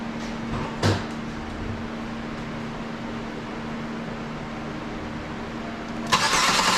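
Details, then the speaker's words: 2003 Buick Century after battery replacement for cold-day no-start, multimeter ready to check alternator voltage: steady low hum, then clunk and loud burst as engine cranks and catches; starts normally. "okay now I'm going to start the car off and then we're going to check the voltage on the alternator"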